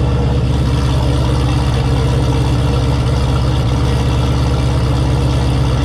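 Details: Turbo Camaro ("Cowmaro", 1200hp) V8 first fire in a while, fresh oil, warmed to operating temperature with coolant about 190°F; deep, steady, evenly lumpy idle with no knocks or ticks. Normal idle.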